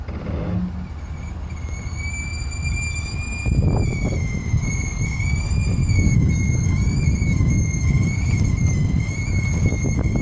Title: Brake Noise while backing up